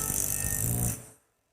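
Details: Impact driver sinking a 2-inch screw into 2x4 wood: quick, harsh rattling as the internal hammer strikes the anvil under resistance, then stops; normal impact hammering, not screw damage.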